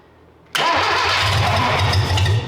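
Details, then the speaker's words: 1968 Datsun 520 first start after engine rebuild, with new coil and electronic ignition distributor: silence, then a sharp catch as the engine fires and settles into a steady, even idle; clean start. "Oh, she's gonna run. We've got a runner, boys."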